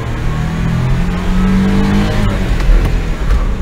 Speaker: can't hear that plate I can't hear that plate rattling now so yeah it was just that